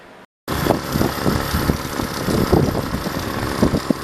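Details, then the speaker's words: Old small two-stroke trimmer: putters at a low, even idle with a steady rhythm and no stumbling, running healthy. "thing just idles. Listen to how good that idles."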